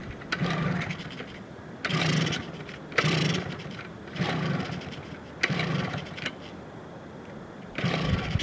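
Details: 2002 Yamaha PW80 two-stroke, first cold start after sitting over two years, with carb cleaned, new gas, oil pump removed, air filter off and carb not yet tuned: short crisp revs every second or two, dropping back to steady idle; peppy, healthy running.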